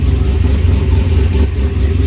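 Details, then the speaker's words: Freshly rebuilt, previously blown-up LS V8 with exhaust unhooked, coolant topped off, oil pressure 50 psi cold, in learn mode. Deep, lumpy but regular open-pipe idle with no ticking or knocking; sounds healthy. "all right we got a lot of oil we're running we got him coolant topped off sounds really good"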